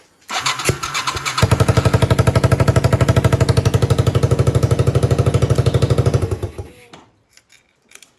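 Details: Yamaha 225DR Tri-Moto under restoration, testing the keyed ignition after the new kill switch: brief cranking, then the engine catches and runs with an even, steady thump at about three beats a second before switching off; starts normally.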